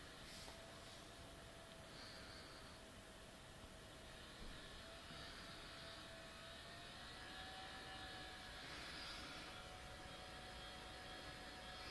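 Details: New Sony Vaio CS11S/W laptop under full load, about 60 dB, cores throttling at 100°C: steady airy rush with a thin mid whine from a mechanically faulty cooling fan.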